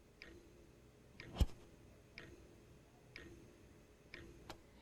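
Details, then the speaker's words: Dell Alienware X51 R2 not booting, no video, hard drive and optical drive disconnected, microphone placed close: faint even tick about once a second with one louder click; appears to be the CPU fan. "So the hard drive is removed and I can still hear the ticking sound."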